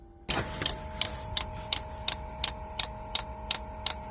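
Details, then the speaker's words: Diesel heater newly installed in a school bus conversion, first start with fuel just reaching the pump: crisp, even tick about once a second over a faint hum. This is normal dosing pump ticking while priming and purging air. "maybe we'll try to get some fuel into it first there we go I can see some fuel getting into the fuel pump finally that'll help lubricate it and pull any air out of the system"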